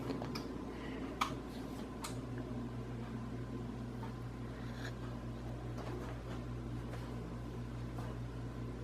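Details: Casablanca Hampshire ceiling fan bought around 2007–2008, running in reverse: low steady motor hum with faint rough grinding and scattered clicks, louder in reverse; blades tight, no visible rubbing, cause unknown.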